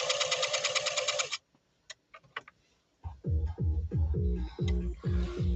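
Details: Singer Fashion Mate Model 362 sewing test after slight upper tension adjustment: after some music, even stitching rhythm about three beats a second runs smooth and steady, healthy machine.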